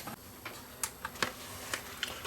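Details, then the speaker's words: Sony BDP-S350 Blu-ray player that plays no discs makes quiet, irregular clicks and ticks as the drive keeps seeking on a disc without settling; it cannot read it, red laser suspected. "Cannot read this disc, so it seems to have a problem reading maybe the red laser shot."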